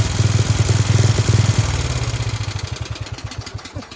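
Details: Dayton lawn tractor with 11 hp Briggs engine, revived, started on choke, running without air filter: crisp, loud, even exhaust pops fading as throttle drops; runs cleanly like a hot rod, just noisy open intake/exhaust.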